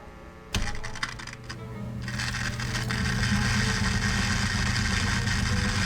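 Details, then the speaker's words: 1947 Silvertone wire recorder/phono/radio combo, wire recorder under repair (bad playback head suspected): playback gives only steady hiss over low hum, no recording; wire not riding in the head groove. "all we got was static I'll wait till the head comes all the way up"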